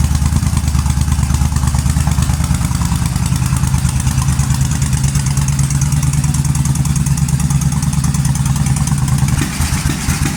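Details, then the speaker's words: 2005 Suzuki Boulevard S83 V-twin that sat about 4 years, running after carburetor cleaning and a rusty tank cleanout: a steady, even deep thump at idle with no misses, knocks or rattles. Normal idle. "well it's running she sounds pretty damn good especially for sitting for about 4 years"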